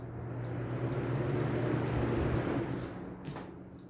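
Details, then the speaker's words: Lasko box fan motor after cleaning filthy windings: smooth, low, even hum with no scraping or rattle; motor turns freely and bearings are pretty good, normal motor hum. "you clean the motor and make a bit of a difference but you can really see has a nice motor hum"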